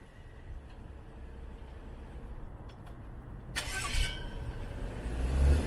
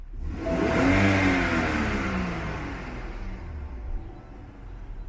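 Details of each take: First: BMW N55 engine on a test drive after replacing both front and rear crankshaft seals, which had leaked crankcase pressure and caused a whistle or squeal when warm (SI B11 03 11). Now an even low rumble with no whistle or squeal. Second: BMW N55 engine revved: a thin whistle climbs and falls with engine speed as crankcase pressure escapes past faulty crankshaft seals (known manufacturing error, SI B11 03 11). Often worse at operating temperature; replacing both front and rear seals recommended.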